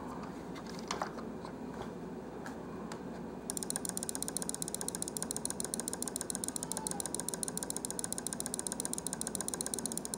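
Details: Stock, unmodified Logitech G502 Proteus Spectrum mouse clicked rapidly: crisp, sharp, fairly loud clicking around ten per second, measuring about 56–57 dB versus 51 dB for the silent-switch modified one; normal stock microswitches.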